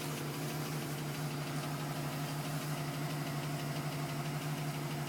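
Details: 2010 GMC Sierra with 2000 miles, cold start idle: light regular tapping about twice a second over low hum, owner wonders if piston slap; tapping persists past 4 minutes and stops at 5:42 as it warms.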